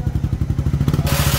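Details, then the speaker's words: Motorcycle engine reassembled after a screw got inside it, clutch pressure plate replaced: steady, even low thumping at about ten beats a second with no knock or rattle; now quiet and running healthy. "Na, hindi mo ko tinawag, buo na pala. Tahimik naman ah."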